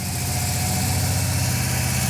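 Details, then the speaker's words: Car after a WRX turbo conversion, first start: uneven, lumpy idle with a hollow stumble each cycle, sounding like three cylinders. Misfire at idle, one cylinder suspected not firing; owners suspect a coil or coil plug. "I mean, it's it's sounds so weird. It's like three cylinders, but it's good otherwise."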